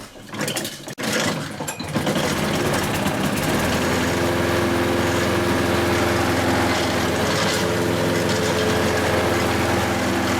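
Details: Hayter Harrier 48 460 series mower taken outside for a test after the drive chain was replaced for lost drive: after a brief start-up scuffle the engine settles into a steady, even drone with no knocks or misses; normal running.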